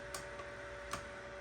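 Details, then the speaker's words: AnkerMake M5 3D printer, nozzle heated to 200 °C while loading filament: sharp, irregular clicks over a faint steady motor whine as the extruder skips and fails to feed filament. "I don't know if you can hear it clicking and then nothing happens"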